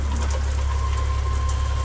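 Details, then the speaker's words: RV shower after installing new Seaflow water pump: steady low hum with an even hiss of water, no surging or rattling, good pressure with some air still purging; normal water pump running. "good pressure and this thing is barely even turned on it's working a little bit of air out of the system right now that has to be expected"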